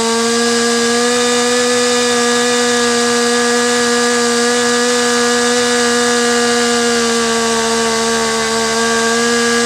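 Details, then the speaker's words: Stihl MS250 chainsaw, carburetor high-speed mixture screw being turned in at full throttle: steady thin high scream rising to its peak, then tipping over the lean edge and bogging down; lean high-speed mixture before being backed out to the peak. "so same thing you could see how I turned in that high mixture screw until the saw reached its peak and started to go over the edge and bogged down"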